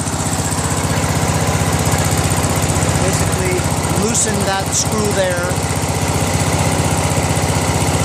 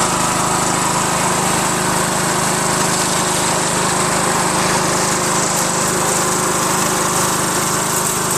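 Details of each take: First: Craftsman LT1000 with a 21HP Briggs opposed twin after a governor adjustment; at lowest throttle the governor holds an even, steady low idle with no hunting, a normal idle. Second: Craftsman LT1000 lawn tractor with a 21HP Briggs opposed twin, after a carb fuel pump swap: it screamed at a high ragged speed as the governor went up. The governor is out of adjustment, causing overspeed.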